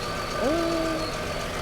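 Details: Fire-damaged Chevrolet Equinox from a salvage auction, after wiring rework and fixing a loose relay connection that stopped it starting, run on a jumper pack. The engine holds a steady idle with no knocks or misses, a normal idle.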